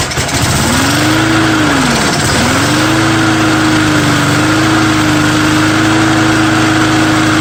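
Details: Small engine on a true cold start with undrained gas catches with a rising buzz, dips once, then settles into a steady, even idle; owner thinks the primer bulb is partly plugged.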